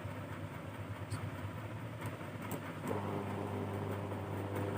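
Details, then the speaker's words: Cooler motor repaired at home: corroded aluminium-winding main wires cleaned and reconnected, faulty capacitor replaced; tested on low, medium and high speeds, quiet steady hum firming up to speed, not heating, running normally. "यह गर्म भी नहीं हो रहा है, और यह ठीक से चल रहा है।"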